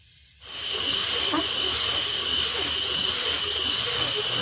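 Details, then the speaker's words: Old Worthington shop air system: steady sharp hiss of pressurised air with no motor noise behind it, leaking from a crack in the plastic dryer housing just below the lip; later repaired with epoxy. "I hear some air and we're going to want to find out all right so we got leak down there something's leaking"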